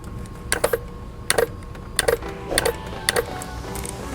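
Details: Variable intake (vacuum switching) solenoid, P1801 code diagnosis, powered with a Power Probe, microphone held close: crisp single clicks roughly every two-thirds of a second as power is applied; solenoid actuating properly.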